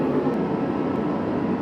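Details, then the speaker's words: Garage heater running at full heat with its front plate red hot, about 73 dB: a deep, even burner rumble at constant pitch, maybe a bit louder than the previous heater but less annoying; normal running. "but like I said the sound it might be a little bit louder but it's a much deeper sound so it's nowhere near as annoying"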